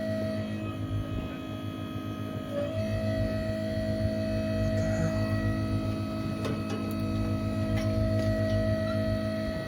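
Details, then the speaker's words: Seeder meter drive motor on first day of wheat seeding, after a meter blockage code, with roller not plugged: constant electrical hum at fixed pitch with no turning rhythm; motor powered but seized and won't turn. "You can hear it do it, like, but it won't turn. Try it again. No, it's like you can hear it trying, but it won't turn."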